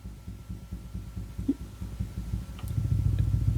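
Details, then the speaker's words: 1965 Ampeg Jet J-12T tube combo amp, tremolo driven from the input valve, fixed depth, speed swept fast to slow: deep soft thumps pulsing about three or four a second under the tone; tremolo thump leaking through the amp. "but least we know the tremolo is working from slow I mean fast to slow"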